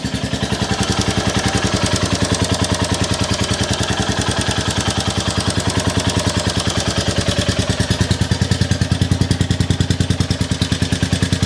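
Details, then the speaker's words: Rebuilt 2022 Royal Enfield Classic 350 (stolen and recovered), first start after full reassembly, fuel pump primed, recorded indoors. Steady, even single-cylinder thump at a relaxed idle, loud but smooth, with no ticks or knocks; normal idle. "hey that sounds quite loud in here but I am indoors the Y that's quite loud actually engine's nice and smooth though"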